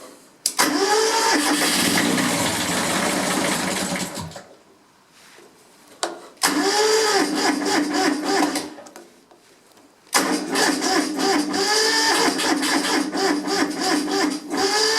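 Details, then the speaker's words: Kubota B7001 diesel tractor, cold start at 10°C after two months sitting, weak battery suspected: repeated cranking bursts after glow plug heating, engine chugging but not catching, decompression lever used to spin faster; hard starting below about 15°C. "okay that should hopefully do it sounding a bit sad i'll probably just use the decompression lever to get a bit more spinning and then just drop it in"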